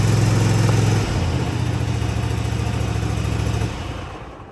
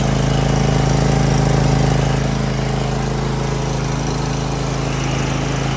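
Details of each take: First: Cub Cadet ZT1 zero-turn mower, first start on choke after replacing the throttle cable and lever: a steady, fairly low drone that never climbs toward full governed speed. The throttle cable needs readjusting. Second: Cub Cadet ZT1 zero-turn mower small petrol engine at low idle after throttle cable and lever replacement, started with some choke: steady, even idle with smooth regular beat, no misses or knocks; normal idle.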